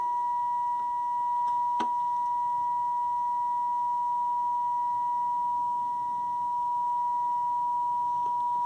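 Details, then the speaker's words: Zenith R430 AM/FM table radio (about 1980) tuned to 98.5 FM, detector being adjusted during alignment for the cleanest audio: a clean, steady test tone of about 1 kHz with barely any waver. "I don't know if you can hear the change in the sound as I adjust the detector. Going for cleanest sound there. Peeking for best audio there."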